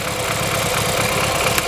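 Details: BMW F30 328i N20 engine, idling lumpy with a steady repeating stumble from a dead cylinder: misfire, cylinder 2 lost compression from internal cylinder wall damage, blamed on daily abuse and modifications; drivetrain malfunction, oil consumption.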